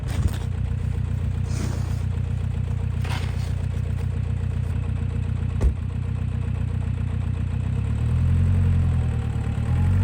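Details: 2000 VW Passat 1.9 TDI diesel, off the road almost five years: low clatter at idle with an uneven, lumpy, slightly hunting beat and engine shaking, caused by a faulty injector.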